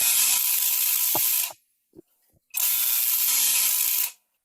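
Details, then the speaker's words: Contactor chattering instead of pulling in solidly, contacts coming in and out, risking burning the motor and contacts: two bursts of harsh rapid clattering over a low buzz. "It's not holding down tight. In fact, if is that it's going through a lot of chattering going on there."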